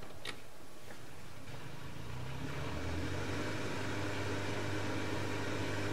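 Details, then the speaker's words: Bosch XL dishwasher after fixing an E25 drain error caused by a piece of plastic blocking the drain: a few clicks, then a steady low hum with no rattle or grinding. Drain pump running normally. "That sounds better. So, all of that was caused by one piece of plastic. That sounds much better."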